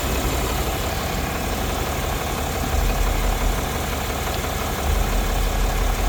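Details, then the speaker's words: Truck after a blowout repair and coolant refill, started to check for leaks; steady even low rumble at idle with no misses, knocks or hiss, left to warm and pressurize. "Probably should have just auto started it, but so far so good. We'll let it heat up a little bit, pressurize."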